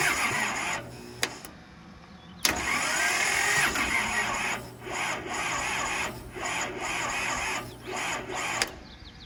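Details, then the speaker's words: Kubota L285 four-cylinder diesel, sat 8+ years, after 30 s glow plugs on a 200 A plug-in charger: uneven cranking with pauses, never fires; charger not enough. "Okay, 200 amp on the little plug-in battery charger wasn't enough to get it to go. It was close, but not enough."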